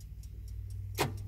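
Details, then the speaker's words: Original dash clock in a 1950 Ford Tudor, mic right up at the clock. Light, even ticks about four per second over a low hum, with one louder click; the clock is ticking and keeping time normally. "You can hear it ticking, and that clock actually does work."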